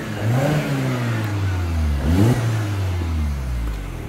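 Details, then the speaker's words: 2009 Mini Cooper Mayfair 50, 1.6 petrol fuel injection, six-speed, 47k miles, full service history, free revving; revs up cleanly twice and drops back smoothly, no knocks or rattles: normal revving. "oh i've got to rev the engine as well make sure happy with the engine sounds noise"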